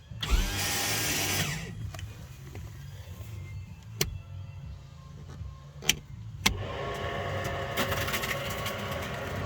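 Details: Electric power trim motor on a boat, run off a cheap, relatively new car battery, whirs steadily through the raise stroke, stops, then runs again to lower; smooth even drive, trim working normally while the engine won't crank or start.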